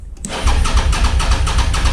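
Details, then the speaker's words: Auction Suzuki SV650 on fresh fuel with a weak battery, cranked with the clutch held: a steady starter chug that is slow to catch cleanly; it started, then died, and a fuel issue remains. "It'll take some time. There we go. It wants to start. It started. Come on. Okay, there's like a trick to this."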